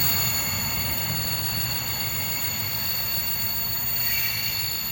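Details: Freightliner Class 66 66599 locomotive hauling freight wagons, Lawley Street to Felixstowe North; loud, sustained high-pitched brake squeal over the rumble of passing wagons.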